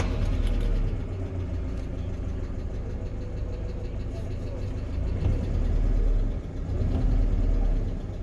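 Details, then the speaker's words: 2020 GAZelle Business, UMZ-4216 EvoTech 2.7 aluminium-block petrol, only 823 on the clock: at idle a light quick tapping from the top end, one hydraulic lifter ticking, also at higher revs. "проблема стук стук гидрокомпенсаторов короче давайте запустим послушаем какой-то один гидрик постукивает"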